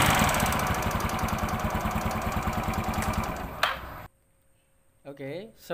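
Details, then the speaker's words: Yamaha Mio Sporty scooter running with rough, harsh clattering at a fast steady beat. Mechanic suspects a history of running out of oil, possibly a loose clutch or camshaft problem. "yang kita dengarkan tadi bahwa suaranya sebegitu kasarnya kita mendengarkan secara awal ini sekilas kayak ada riwayat kehabisan oli"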